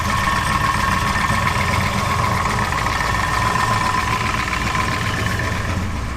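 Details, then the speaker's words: BMW E36 at about 35°F with tune not yet dialed in: steady idle with a raspy, puffing chuff plus loud rocker tick that quiets when warm. Finding: exhaust leak at idle. "Alright, so it's running right now. It's got an exhaust leak, so it kind of sounds like a bag of dicks, but"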